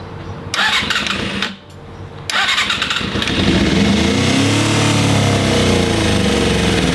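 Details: Suzuki GSX250F Across after a carb clean: starter cranks twice, engine catches and settles into a fairly steady, slightly uneven idle; running but not perfectly, owner suspects gunk still in the fuel lines.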